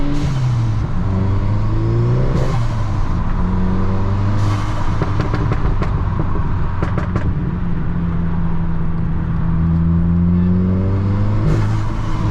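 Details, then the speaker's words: Mk6 GTI on a hard freeway pull after repair of a seized exhaust-side balance shaft (new shafts, chain and tensioner): pitch climbs smoothly through each gear with clean shifts, and there is no knocking, rattling or misfire; healthy. "So far, so good. Been running really, really smooth. Done a few pulls already."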